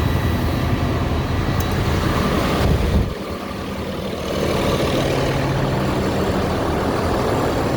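Steady, even diesel idle with no squeal or exhaust leak ticking, then a smooth rise in revs with turbo spool; sounds healthy.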